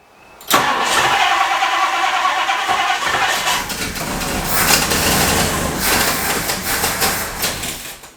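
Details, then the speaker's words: 1962 Ford Thunderbird Landau that sat for years, after blowing out the tank-to-pump fuel line: strong even cranking with no firing at all; a crank-no-start blamed on a failed fuel pump. "You saw I got a good crank. I got a good crank out of that, and it just wouldn't start. It's the fuel pump."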